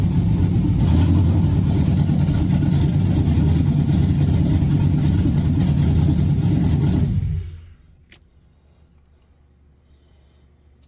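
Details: 1986 Chevy Caprice with swapped 5.3 LS V8, cam and 4L60E, gauge temp 74; fires up and settles into a deep, even idle before shutting off, smooth with no knocks: normal idle.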